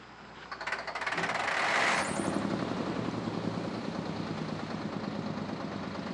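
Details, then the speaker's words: 1973 Mack R700 (year uncertain) with 865 V8 diesel, 5-speed, Dynatard, PTO, not run in about 20 years: coughs, catches in a rapid hammering burst, then settles into an uneven rumble, running briefly on ether; something missing on injection pump. "As you can see, it ran off a little ether there for a second. We just did that for fun."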